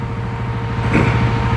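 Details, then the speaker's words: Yamaha Wolverine 708cc with fuel controller and stock exhaust on the dyno: steady engine drone, then a whooshing rush as the cooling fan kicks on because the engine is getting hot. "All right, so we just kicked our fan on. I can hear it. Means it's getting a little hot."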